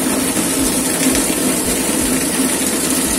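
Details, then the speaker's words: Water pump after replacing the impeller housing (keongan) with a Shimizu type 125 part, test run at night to fix weak flow: loud even whirring hum with steady low tone, no knocks or rattles; smooth and healthy after repair. "Pating gemerajak. Halus suaranya. Setelannya oke. Hasilnya mantap."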